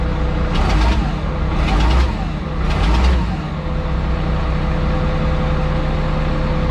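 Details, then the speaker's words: Pay loader diesel starting for the first time this season: over a steady idle, three sharp hissy air bursts about a second apart from the air regulator as the air gauge comes up, then just a steady run. "oh while the air gauge comes up [Laughter] [Music] regulator making that noise"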